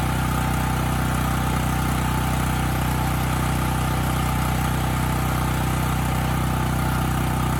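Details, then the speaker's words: Coleman Powermate 5000 W generator after an air filter change: smooth, even, steady beat at constant speed with no hunting or misses; it runs well both unloaded and loaded. "I honestly did not think changing that filter was going to fix the Run condition but it did I mean this engine's running quite well unloaded and loaded up"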